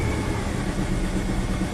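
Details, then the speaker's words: 1994 Ford Ranger 4.0 V6, about 171,000 miles, at idle: lumpy, loping, shaking rumble that needs revving to keep running; MAF reads 0.08, sensor one rich, short-term trims at 60; suspected dead cylinder or flooding. "definitely loping I'm just gonna keep rev it up to keep it running"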